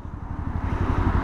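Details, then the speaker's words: Motorcycle with about 3,400 km, broken down mid-tour with an odd noise, oil warning lamp lit and strong vibration; the starter drags the engine over slowly with a labored low thumping, about eight beats a second. A battery voltage shortfall is suspected. "やっぱ電圧不足やってそれが回らないであればおそらくバッテリーの電圧不足でスターターモーターが回れずググーみたいな音がしてるんだと思います"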